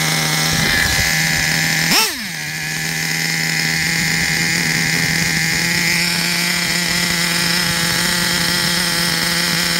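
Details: Traxxas Revo 3.3 nitro RC truck, engine retuned and good; it still needs a new transmission, spur gear, starter motor and one-way bearing. The small nitro engine runs steady and high-pitched at constant speed after a brief blip, smooth and healthy.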